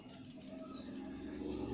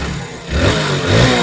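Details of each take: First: Hero Splendor BS6 new model engine stopped, rocker rocked by hand with the mic close: sharp metallic clicks about four a second from excess tappet play, the cause of the kat-kat noise before valve clearance setting. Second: Hero Splendor BS6 new model after tappet (valve clearance) setting, 0.10 mm intake and exhaust, to cure heavy ticking: short clean rev blip with smooth rise and no tappet clatter; engine sounds like new.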